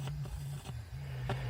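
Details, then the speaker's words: Camper rig audio system after an electrical failure: only the subwoofer works and there is no program sound, just irregular crackles and pops over a low hum when the cable is wiggled, pointing to a bad connection. "but I'm not getting the sound. I'm just getting crackling."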